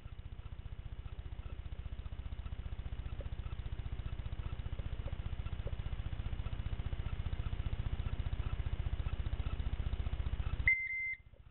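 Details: Toyota Corolla All-Trac, 4A-FE, 5-speed manual, won't start, fuel pump won't prime, dash lights erratic; with diagnostic terminals T and E1 jumpered: fast continuous even clicking, no crank, owner thinks from starter; electrical no-start.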